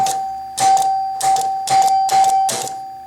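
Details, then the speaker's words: Chicago Coin Blue Max electromechanical pinball: advance relays clicked by hand with the score motor powered give bursts of relay clicks and a clean chime about every half second. The score wheels step normally. "So we should be able now to click these advance relays. And you actually can see now the score wheel's running."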